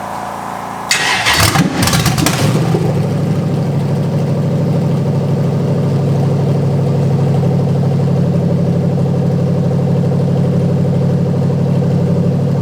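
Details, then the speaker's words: Drift car just reassembled with engine back in, fuel pump on a temporary direct feed after a bad connection was fixed: pump primes, then a short crank fires right up into a steady, even idle without misfires or knocking. "Okay, so the connection was just a bit shit on here, so as you can hear, fuel pump's priming."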